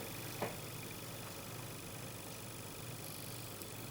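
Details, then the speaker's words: PC power supply standby circuit under a 6.3 V bulb load, with capacitor C1 desoldered: a faint, steady, high-pitched whistle, unchanged from before. The standby circuit is still whistling. "Так, подключаем опять через лампочку. То же самое. Такой же свист."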